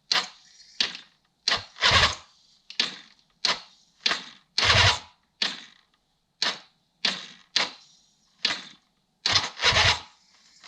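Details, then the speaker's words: 1976 Suzuki GT750, first start attempt in 30 years after choke repair, fuel on: about fifteen short cranking bursts with a few pops, nearly catching but never running on; owner may need to adjust timing. "See if we can get it to go. Ooh. So it does run. Let's give it a go again here."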